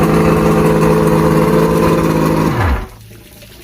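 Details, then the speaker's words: Mercury inline six outboard after no-spark repair (trigger and stator tested, spark on all six cylinders): smooth, steady drone with even firing, winding down cleanly at shutoff; weak water pumping, impeller needs replacing. "doesn't get better than that nope yep first crank fired right up"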